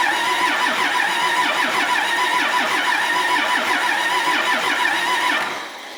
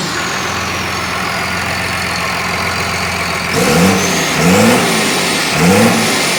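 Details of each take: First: Cummins diesel from a stripped bus, sat outside nearly 3.5 years, with several injector lines cracked to bleed air: steady starter churn at about three beats a second that never catches, then winds down. Cranking, no start because of air in the fuel system. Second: Cummins bus diesel with Allison, revived after sitting outside nearly 3.5 years: steady idle, then three clean throttle blips that rise and fall smoothly and settle evenly; runs healthy, though a stuck gauge is suspected faulty.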